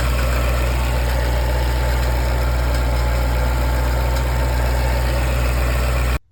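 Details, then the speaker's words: 2008 Jaguar XKR, AJ34S engine, Eaton M112 supercharger: steady idle with a light, bag-of-marbles clatter from the top/rear of the engine while it runs fine, caused by a failed supercharger needle bearing. "The car runs fine, but it makes this bag of marbles sound. It's kind of a light tone. It's not something that sounds like the bottom end is breaking apart."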